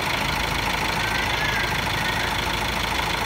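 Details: Car jump-started from a motorcycle battery with 2.6 sqmm cable on a 70 Ah battery; steady, even diesel idle with constant clatter, no misses or surges after starting, engine running normally.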